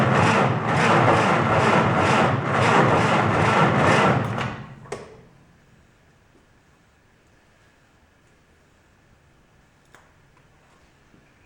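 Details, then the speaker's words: 1949 Willys pickup F134 four-cylinder on 6-volt system, push-down starter in cab: slow cranking about three steady chugs per second for four seconds, then silence; normal slow 6-volt turnover during spark test. "Now it being 6-volt, it's not going to sound like a regular car. It's going to turn over slow."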